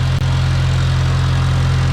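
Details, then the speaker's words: Farmall Cub tractor with new carburetor and in-line fuel filter: smooth, constant low hum with an even beat, no surging, sputter or smoke; runs clean, unlike the old carburetor, which needed constant choke adjustment. "wow it wouldn't even run right with the other carburetor unless I sat there and played with the choke lever she's not smoking or anything that's fantastic"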